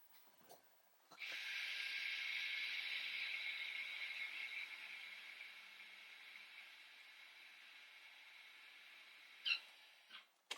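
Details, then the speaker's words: Toyota RAV4 (2019) electronic parking brake put in service mode without scan tool (ignition on, brake pressed, switch pulled and pushed three times each): soft high steady motor whirr for several seconds, fading as rear brake motors retract pistons fully. "okay as you can see when I was pressing it down I removed my foot from the brake pedal and this is flashing now and start unwinding the motor on your rear brakes"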